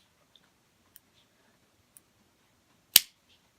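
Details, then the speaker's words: Omnipod insulin pod with the recorder brought closer during cannula insertion: a few faint ticks, then one sharp, crisp snap near the end as the cannula fires in normally. "It went in. I felt it. And it just says, please wait."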